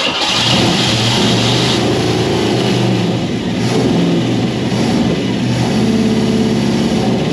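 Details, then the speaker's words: 1969 Ford Mustang Fastback, first start attempt after sitting 30 years: engine catches and runs unevenly for a few seconds, then sags and stalls; carburetor (double pumper, leaking fuel) accelerator pump no longer squirting fuel, carb needs more work. "I think that's all she wrote. I don't think the carb's gonna work anymore. Yeah, it's not squirting fuel anymore."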